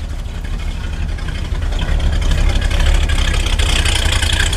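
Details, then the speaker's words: Sub-zero cold start in snow; deep, low rumbling idle holding fairly even with a slight lift in speed, now running much better. "Let's hop out and see what he sounds like now. See if he'll run. He sounds a whole lot better."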